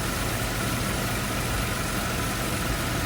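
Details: Nissan Cima Y33 VQ30DET with a new alternator, idling under electrical load with the lights on, charging 14.55 V (about 11 V before): steady, even idle with a faint constant whine and no misses or knocks; normal idle.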